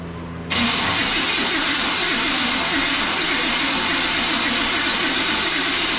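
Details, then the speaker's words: OBS Chevrolet Silverado that sat a long time, previously ran, fuel smell present: starter grinds the engine over at a steady rhythm but it never catches; suspected failed ignition module on the coil pad. "terrible guys I would be willing to bet it's that module but I'm going to need help to figure that out"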